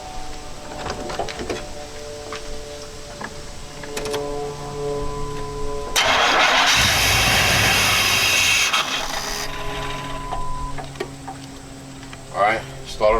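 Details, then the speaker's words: 1989 Chevy K5 Blazer (V10), throttle body injection, crank-no-start: slow uneven cranking, then catches and roars briefly on starting fluid before dying; owner suspects fuel delivery problem, not confirmed. "starting fluid so I'm thinking fuel is my problem"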